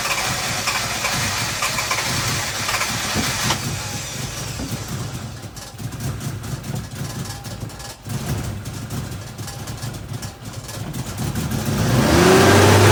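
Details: Mk3 Toyota Supra started after a vacuum hose kit install aimed at a vacuum leak, with the idle problem dating from a knock sensor replacement: it cranks, catches, then settles into a lumpy, loping idle near 160 pulses a minute; rough idle, cause unclear.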